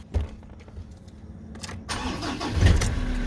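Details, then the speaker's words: Ford Ranger diesel right after a fuel filter element replacement, with the housing primed by cycling the ignition: a brief crank catches almost at once and settles into an even, low idle. A normal start. "as you can see, starts all straight away."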